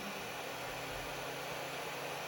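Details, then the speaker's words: Tronxy XY2 Pro 3D printer, extruder at 200°C with the bed heated, while extruding filament: constant airy whoosh with a faint steady hum, no pulsing; fans are very noisy. "But you guys can hear it, right? So noisy."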